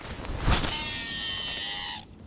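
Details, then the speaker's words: Ozark Trail baitcaster reel cast with power: thin high-pitched whistling screech holds over a second as spool spins out, then stops; gentle short casts make no sound. "okay that sounds like an elephant uh you know blowing its trunk that that is that is not how you want to reel to sound"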